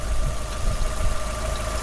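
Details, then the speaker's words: Fiat 500 idling: a constant thin whine from the front casing; owner suspects the timing belt needs doing, not confirmed. "It's the belt. Sounds like What's that sound like, guys? Timing belt needs doing. That comes from in this casing here."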